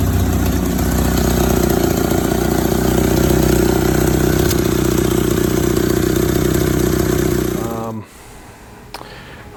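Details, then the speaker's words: 1962 MG Midget MK1 that sat for who knows how long under a tree, running after the stuck throttle linkage was loosened: a smooth, even idle with a steady beat and no misses or knocks until it is switched off. It runs healthy. "So I decided to loosen that up and fire it up. And lo and behold, it runs. Not bad."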